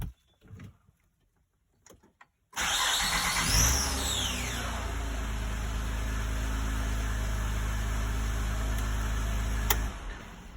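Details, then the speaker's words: 2006/2007 Honda Odyssey V6 cranking: high whine sweeping downward as the engine catches, suspected failing starter motor, later replaced. "I believe it is starter. I will replace it if the noise is going to be gone."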